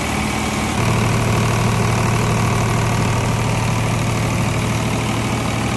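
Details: Engine rebuilt after water ingress, first start after reassembly with exhaust manifold refitted: steady, even diesel chug at idle with a firm low thump and no knocks or rattles; runs smoothly.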